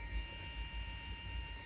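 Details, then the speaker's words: Aiwa cassette player motor running: thin steady whine, constant pitch, no wavering, scraping or grinding; motor loudness judged normal for these devices, slightly quieter in the other direction, maybe due to belt tension. "You can also hear that screaming of the motor. Yeah. Yeah. and so I actually not very understand what what it could be wrong with with this one because for me it sounds quite normal you know"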